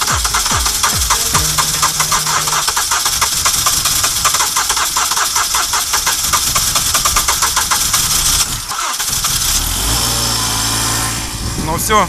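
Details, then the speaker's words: Car left cold and unheated at -30 outside, battery fully flat, started with a booster: steady cranking about five compressions a second for eight seconds, then catches and settles to idle; a successful cold start. "на улице тридцатка машина холодная не грели"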